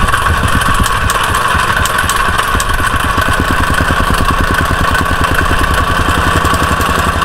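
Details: Used jumping jack tamper after a carburetor cleaning and a torn intake gasket behind the carb, air filter clamped on: fast, even stomping thumps at a steady rhythm over a clean engine note, no misses or surging; normal running.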